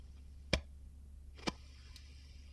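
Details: Valve (tube) amplifier with all preamp controls at zero and the master control brought up slightly, microphone against the speaker: sharp isolated pops about once a second over a steady low hum, crackle of a dirty pot needing cleaning.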